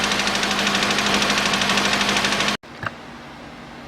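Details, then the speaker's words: Mitsubishi ASX 2013 1.8 petrol with a CVT, 390,000 km, engine replaced at 220,000 km: cold start, the engine shakes, with a steady fast knock about three per second over an uneven, stumbling idle. Piston knock suspected, engine to be opened. "вот так у него еще на холодную стук какой-то"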